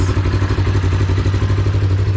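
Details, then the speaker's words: Freshly installed new motor, now with exhaust fitted, plus new wheel bearings and driveshaft U-joints; smooth, regular idle thump through a much quieter exhaust, no clatter or stumble; engine light is on, cause unclear: normal idle. "that is wild how much that exhaust calms that down"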